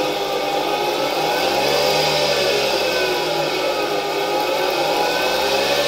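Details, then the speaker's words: 1960 Alfa II vacuum cleaner with SK-5 motor from the Wrocław water-meter factory, old motor on test: steady high whir with rough grainy edge, bearings slightly audible, turbine a bit noisy, but motor works; brushes to be replaced later. "It's like in old motors: you can hear the bearings a bit, the turbine is a bit noisy, but in general I'm happy that the motor works"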